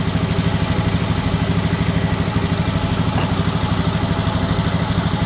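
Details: Honda Scoopy FI scooter, after fixing a faulty side stand switch that caused hesitation on pull-away: steady, even idle about three beats a second with no stumbles or misses; normal idle.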